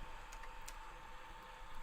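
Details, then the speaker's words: Water-cooling loop pump for a GPU test rig running at full speed and full head pressure with an air lock still being bled, a steady mid-pitched hum; should quieten once air clears, also a slightly noisy pump. "we can hear the pump you can hear the pump cuz it's cuz it's at maximum pressure at the moment once the air once the air runs through it it'll quieten down it's also just a slightly noisy pump"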